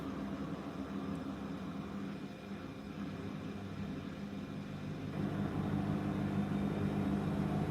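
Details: Beko DuoSpray washing machine, daily 60°C program with a small blanket: steady low motor hum climbing smoothly as the drum speeds up, no thumping or banging; evenly balanced spin.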